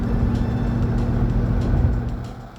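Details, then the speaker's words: 2007 Mustang GT, Ford 8.8 rear axle, test drive after replacing the worn differential and axle bearings: even road and drivetrain rumble, with the earlier rear-end whine gone and no whine changing with speed. "with everything reinstalled take a test drive the noise is gone such better ride"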